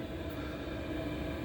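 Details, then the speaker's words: 8 kW Gearzaar Bluetooth Chinese diesel heater just switched from mains to battery through an add-on changeover module: steady, even rushing hum with no surging, stumbling or cut-out. It did not shut down at changeover and is running normally on battery. "It's running on battery. So from switch to from electric to battery, just a split moment, and it still works."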